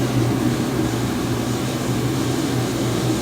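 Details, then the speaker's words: Forced-air shop heater running on a cold night, about 16°F outside, garage heated to 70°F: steady, even blower roar over a low burner rumble with no surging or rattles; normal heater operation. "that's my heater going it's pretty cold here tonight it's about 16 degrees outside i got it 70 degrees in the garage"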